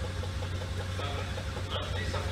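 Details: Fiat Punto GT 1.4 idling after its Bosch M2.7 ECU was unlocked to fix an immobilizer no-start: the petrol engine ticks over smoothly with a steady low hum and no misses or knocks; healthy idle.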